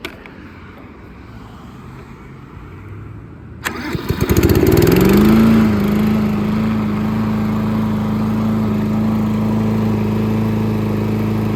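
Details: Craftsman M270 mower, 159cc electric-start engine, after no-start repair: quiet until a pull, then it catches at once, revs up and settles into an even, steady hum; starting and running fine.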